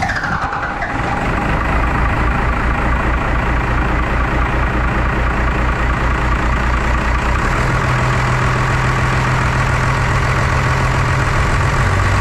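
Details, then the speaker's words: 1993 Dodge W250 1st-gen 5.9L 12-valve Cummins diesel just after an injector replacement. It fires and settles into a lumpy, uneven chug instead of a smooth idle because air is still trapped in the injector lines; the lines were later cracked loose and bled. "so it looks like we lost our light here and she's Chugga lugging"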